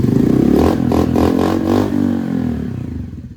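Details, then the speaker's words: Honda NAVI after carb tuning: quick rev falls straight back to steady idle within about a second without hanging, even while foot braking; normal return to idle. "Right back down. Even foot braking it too, but right back down. So no problems whatsoever."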